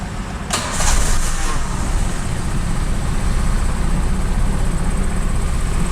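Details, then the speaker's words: Daihatsu Xenia/Toyota Avanza old 1000 cc, warm, after cleaning the ISC valve and pulling the EFI fuse to let it relearn, restarted: it catches within a second and settles into a steady, even idle with no hunting; rpm back to normal. "Nah, RPM-nya udah kembali ya, udah normal ya. Jadi ini tadi tips untuk RPM-nya yang naik atau bandang."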